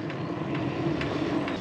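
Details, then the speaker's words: 1500 W 48 V motor e-bike on a 20-year-old MTB, riding at assist level 1 over about 46 km: light, regular tick about twice a second over rolling noise, keeping time with the wheel; rider suspects a loose spoke knocking. "It seems to me that the loose spoke is knocking so much"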